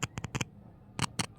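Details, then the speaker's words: Vestax VMC-002 mixer with headphone no-sound fault, testing the headphone: probe taps on the right then left channel give sharp crackly bursts, silent between taps; normal crackle showing the headphone is good. "Then left channel, you can hear a crackling sound. That is a good indication that your headphone is good."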